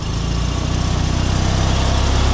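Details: Fiat 126p small twin after two hours of trying to start it, a fuel supply problem (fuel likely drained back); steady, even low thumping pulse with no misses, running normally.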